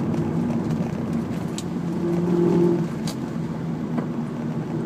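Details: Honda S2000 petrol engine idling: odd low droning hum from the engine bay that swells briefly, plus faint light clicks; source unidentified.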